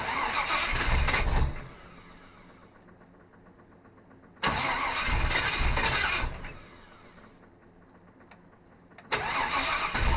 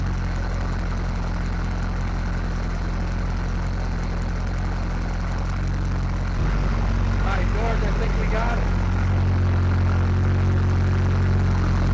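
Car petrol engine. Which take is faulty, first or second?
first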